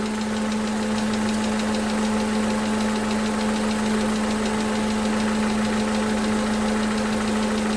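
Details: 2011 Toyota Camry 2AR-FE with stalling issue, just after replacing lifters and rocker arms, idling; slight fast tick about three per second over idle hum, suspected lifter, unconfirmed: engine ticking.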